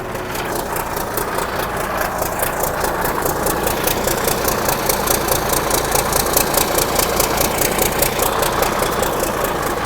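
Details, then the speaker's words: 1963 Mack F600 diesel truck, just fired up after sitting, fuel primed: deep steady idle with even beat and no misses, turbo whistle audible, oil pressure slowly building; running healthy. "so yeah beautiful absolutely magnificent hear that turbo whistle"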